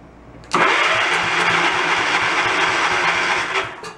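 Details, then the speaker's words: Log splitter engine abandoned about 10 years: strong, steady starter cranking for about three seconds without catching; starter sounds healthy but compression reads only about 10 psi versus a usual 50–60, possibly decompression. "that starter sounds good"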